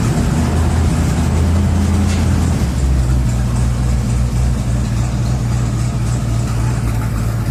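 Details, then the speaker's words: 1987 Chevy 3500 454 TBI V8 with side exhaust, after the misfire was fixed: deep, even rumble with a steady low beat and no stumbles or dropouts; normal idle on all eight cylinders. "okay this is what a 454 should sound like okay"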